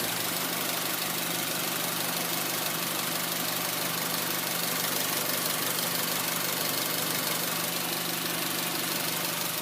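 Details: 2004 Honda Civic LX (7th gen), 80 km stated, engine warm: uneven, low idle with a wavering pulse of about three beats a second over a hissy background; stalls and hesitates, owner suspects O2 sensor, IAC valve also considered, unconfirmed.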